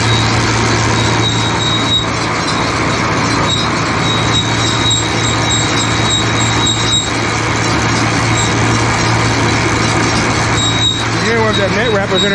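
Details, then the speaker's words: John Deere baler being moved by tractor: a constant high squeal over the steady drone near the drive chains that persists after oiling; owner suspects a metal sleeve getting in there, cause not confirmed. "i did hear a little squealing though but it went away already"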